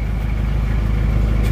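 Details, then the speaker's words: Isuzu Panther diesel after liner replacement and a new clutch plate (about 5 million rupiah), temperature stable after the drive back to the workshop: a low, even idle clatter with no misses or knocks, running smoother and stable, and no smoke. "kita cek lagi suara mesinnya semakin stabil Mari kita buka untuk"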